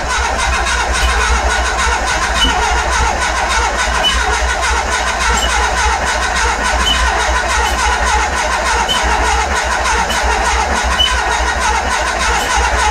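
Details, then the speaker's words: Renault Express with a swapped Trafic engine (48 hp stock, ignition and carb from another engine), choke cable pinched so the choke can't be used: long, steady cranking churn with a faint whistle and no firing. The owner suspects the engine is flooded. "J'aurais essayé plus tard parce que le moteur il doit être noyé."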